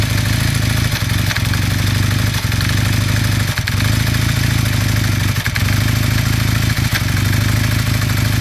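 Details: 1981 Kawasaki KZ440 motorcycle twin warming up at a steady idle, with a light, rapid knocking riding on the engine beat.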